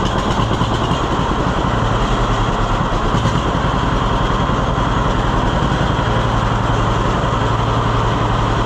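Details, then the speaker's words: 1948 John Deere B tractor after Wico X magneto work giving a hotter spark: slow, even two-cylinder putter at low idle with no misses or backfires. It idles lower than before and no longer fires on just one cylinder. "Yeah, that's something. I don't know why I don't think it would have idled that low before."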